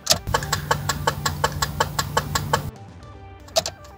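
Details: Renault Scenic turn signal: sharp relay clicks at about 160 a minute, double the normal blink rate, over a low hum. It started suddenly when using the indicator stalk; owner feared the stalk was failing, but the cause was a burnt-out indicator bulb.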